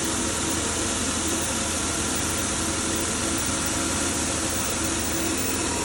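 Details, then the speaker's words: 2010 Chevy Impala 3.5 V6 after cleaning the crankshaft sensor: steady, even idle with no surging or stumble. It shook badly before the cleaning. Normal idle. "Car was shaking bad before I cleaned that clean sensor. Now it looks real good. It's not shaking no more."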